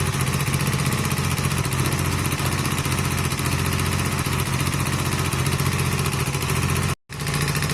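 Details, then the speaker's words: Honda CB250 Nighthawk after top-end rebuild with new piston, cylinder and valve stem seals, 115 jet fitted, idling: steady idle with fast even ticking; valve clearances left unadjusted after reassembly, valves to be readjusted. "One thing I am going to do, while it's fresh in my mind, I can hear the valves. I'm going to adjust them one more time."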